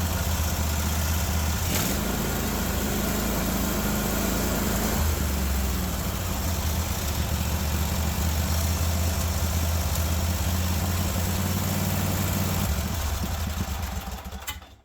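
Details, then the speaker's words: Cub Cadet 1050 Hydro with a Kohler 24 hp SV725 engine holds a steady, fast, deep drone and never settles to idle; the governor won't let it drop, and a linkage out of place is suspected. "yeah the governor is not even letting it go down to idle I'm not understanding why perhaps we have a linkage or two out of place"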